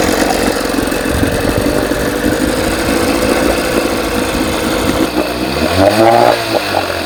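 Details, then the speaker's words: 1980 Evinrude 4.5 hp two-stroke outboard on a cold start runs ragged, surging then stumbling, and keeps running only with the fuel valve shut. Flooding rich through a broken pulse tube diaphragm; owner first suspected a stuck float needle. "So, what I notice is if I shut the valve off, it runs. Turn it on. Pulling in too much fuel. So, I think the needle might be stuck and that's why I probably have to keep filling the tank all the time."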